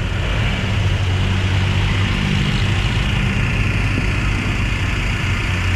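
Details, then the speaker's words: Toyota Wigo after repair of an engine that turned noisy when water got into the air cleaner in heavy rain (connecting rod ordered, two-day job), idling while warming up: steady, even low idle with no knocking or ticking, no spitting or smoke; healthy. "Pero ang laki ng pinagbago mga boss, oh. Diba sir? Yes sir. Walang talsik sir, walang usok."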